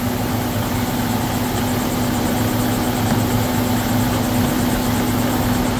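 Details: 2011 Volvo XC90 petrol engine idling smoothly and evenly with a steady low hum after PCV valve replacement; the previous loud whistling is gone.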